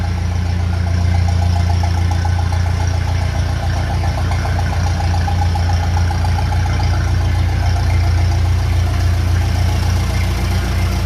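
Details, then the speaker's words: 1957 Ferguson FE35 TVO tractor after setting tappet valve clearances and fixing rocker cover leak, idling: even steady low thrum with no misses, pops or spitting; engine running healthy. "So, I'm happy with that. It sounds sounds good. No spitting or farting or misfiring."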